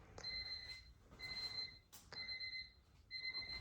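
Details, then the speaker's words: Honda Civic with K20/24 swap, first power-up through homemade charge/starter harness: clear two-tone chime repeating about once a second in quiet cabin, the missed Honda beep; normal power-up. "I missed that sound the Honda beep"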